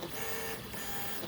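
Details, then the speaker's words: Easythreed K1 3D printer after upgraded X and Y stepper motor swap to cure clicking, during a coarse print: smooth stepper hum and whirring at several pitches, no clicking or skipping; motors sound healthy after repair. "seems to be printing it's quiet it's not clicking i'm going to insert the clicking video into it so you guys can hear it too before and after kind of thing right now i don't hear no clicking"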